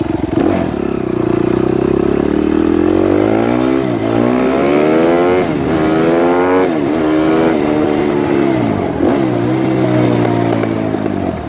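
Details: Suzuki RMZ 250 previously wouldn't start; after re-timing the cams, pitch climbs and drops smoothly on each throttle blip, no knocks or misses; normal running.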